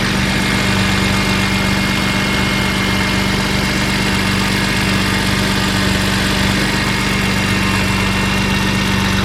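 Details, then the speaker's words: BMW E46 M3 at idle after fitting Yonaka rasp pipes to a slotted flange with OEM donut gaskets, Megan headers and X-pipe: smooth even idle, deep steady burble, no ticking or puffing. No exhaust leaks, running good. "There are no leaks, and it's running good. Sounds good."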